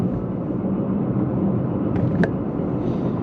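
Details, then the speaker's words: Leapmotor C11 electric car at 4,370 km, cruising: low steady droning rumble under road noise; front left wheel hub bearing suspected worn. "да Похоже передний левый подшипник ступицы и это на 4370 километров"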